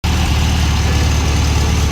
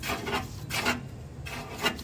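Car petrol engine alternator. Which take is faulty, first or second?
second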